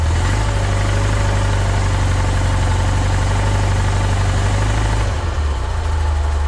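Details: 1976 VW Westfalia Bus, Type 4 air-cooled flat-four, after the voltage regulator was replaced to fix no charging: a deep, steady rumble with an even beat and no knocks or misses. It idles smoothly and now charges.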